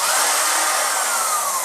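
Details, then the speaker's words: Magic Bullet blender, owned over a year, loaded with solid apples and milk: high steady motor whine that never bogs, motor spins free but blade doesn't turn; plastic drive gear base worn in four spots and rubber coupling worn, fixed by replacing blades and gears. "You heard it moving, and nothing in here is moving. I'm pressing it again. It sounds like it's working, but nothing's happening here."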